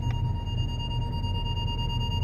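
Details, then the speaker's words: Ford Galaxy final test after repair (fault B1B53 cleared), engine idling, first gear: front parking sensor gives a steady high-pitched tone near an obstacle over low engine idle; rear silent; working as it should. "So he's not beeping at the back anymore, and he's beeping at the front. Can you hear that?"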